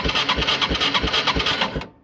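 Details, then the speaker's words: Circa-2000 Yamaha Timberwolf 250 4WD ATV that sat 5 years, with a suspect carburetor, cranked with the starter relay jumped: even chugs about three a second for two seconds, never catching; it has spark but gets no fuel. "hear that I got spark um it's not getting fuel"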